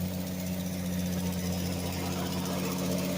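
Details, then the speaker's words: 1965 Ford Mustang six-cylinder with a rebuilt carburetor, choke kicked off: steady, even engine hum held at a raised pitch with no dips; idle is noticeably too fast. "oh it's idling pretty fast for a quarter to the choke completely off of"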